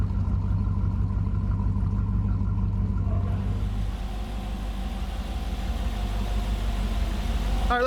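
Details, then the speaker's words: Flooded, wrecked 2014 Super Aéronautique 230 inboard surf boat after engine flushes, running mid-rebuild with water supplied through a reverse plunger. Deep, steady, even idle rumble with no misses or knocks; idling smoothly. "go jump down real quick show you what's going on down there oh she sounds so good"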